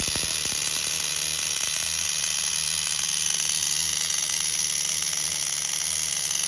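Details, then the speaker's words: Tamiya TGS-R nitro RC car with OS 12CV engine, after pulling and inspecting it over a suspected rod bearing noise: high, even nitro buzz at idle, clean with no clutch drag or stumbling; normal idle, running perfect. "No clutch drag, nothing. Running perfect."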